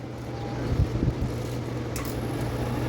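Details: Condura air conditioner after repair, fan and compressor drawing 2.8 A: even low hum with steady fan rush, no rattles or clicks; compressor and fan running normally.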